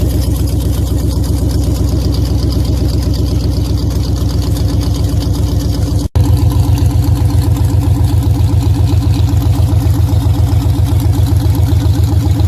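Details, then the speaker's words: Dodge Challenger V8 at idle after fixing a rattling header caused by loose header clamps. Deep, steady idle with even exhaust pulses and no rattle or tick; sounds healthy. "as you just heard I'm sure the car sounds a little bit different not crazy different but I fixed our rattling header situation"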